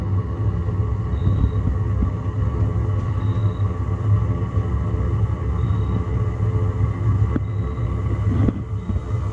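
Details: Chinese diesel heater in a 1981 GMC school bus, straight-pipe exhaust with muffler removed, first start after sitting all summer: deep steady roar with a faint fuel-pump tick about every two seconds. Burning evenly, fired right up.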